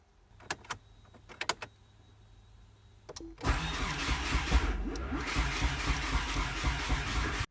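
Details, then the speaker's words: 4G63 DSM-swapped AWD Mini Cooper, first start attempt, untuned: starter whirs steadily with uneven sputters that never catch, cranked in flood-clear mode with no fuel sprayed after a suspected electrical issue; cranks with sputters, no start. "we're getting some sputters so we're doing flood clear right now and flood clear essentially means it's not a it's not spraying any fuel"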